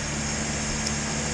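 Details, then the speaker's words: 1973 Datsun 240Z, flat-top HMB64W carburetors, warmed up after test drive, before tuning: steady fairly fast idle with even hum and no misses, idling too high at about 1500 rpm. "as you can hear and as you can see uh it's idling a bit too high it's idling about 1500 rpm"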